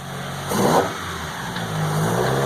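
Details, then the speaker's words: MK2 VW GTI converted from faulty fuel injection to four Yamaha R1 motorcycle carbs, first drive after the swap: pulls up cleanly through a rev, then settles to a steady, even note with no misses; runs healthy. "good there you hear that it sounds really good"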